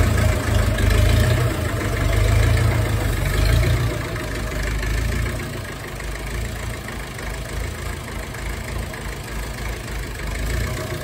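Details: Ferguson TEF20 diesel tractor, sat over 10 years, restarted after a year of no-start by bleeding air from the fuel system: steady low chug about four beats a second, even and settled, no misses; idling normally.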